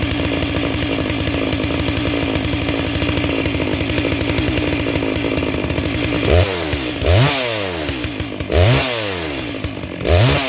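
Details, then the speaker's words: Brand-new Neotec NS892 (Stihl MS660/661 clone) chainsaw, first start out of the box on half choke: rough high idle, then throttle blips with a soft, burbling top end. Carb slightly on the rich side; new chain already stretching. "it sounds like it's pretty close where it's at yeah it's definitely on the rich side but that's fine with a brand new piece of equipment"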